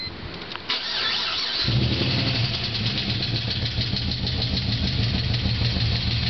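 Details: VZ Holden Senator with bigger cam, ORT intake and dyno tune: cranks, catches, settles into idle with fast light ticking; lifter tick from low oil pressure due to very worn cam bearings, later fixed by rebuild.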